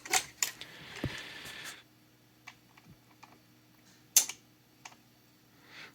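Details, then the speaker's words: GW Instek GPC-3020 bench power supply gives sharp, irregular relay clicks, about six in six seconds, as it randomly drops into output-disable/CC mode; this is an abnormal intermittent fault. "It's not supposed to click like that. If it goes into constant current, like, well, yeah, there you go."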